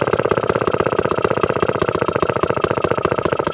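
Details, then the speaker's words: 1954 Atco Midget kick-start lawnmower with Villiers engine, restored then stored, throttle turned right down: very slow uneven single-cylinder firing, each beat labouring and nearly dying; idle set too low. "oh you can't get it much lower than that that's fighting to stay out there oh that's low"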